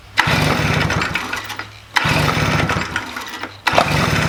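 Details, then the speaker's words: Stihl BR400 leaf blower, about 20 years old, flooding every start attempt before carburetor replacement; three rough pulls about two seconds apart, each a brief sputter that never catches, hard starting from carb flooding. "It got to the point where it would flood every time I tried to start it, and it just really hasn't been starting."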